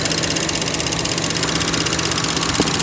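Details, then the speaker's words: 2013 Chevy Cruze petrol engine idling with map and vacuum-leak codes: steady airy hiss from a failed PCV valve in the valve cover, fixed by replacing the whole cover with gasket. "if you're having that hissing sound first thing rod will put your hand you can finger right there put it right there like most likely that's where it's coming from"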